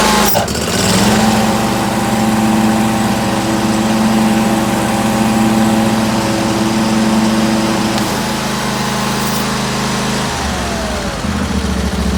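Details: 2019 Bradley 36-inch stand-on mower catches quickly with brakes on and settles into a steady idle; the blades engage smoothly with a brief pitch change and it runs cleanly. Normal start and idle.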